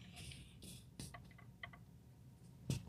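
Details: Genesis GV80 with a complaint of noise under the dash: faint, irregular clicks in a quiet cabin with the engine off each time the brake pedal is lightly pressed, traced to the ABS module under the hood.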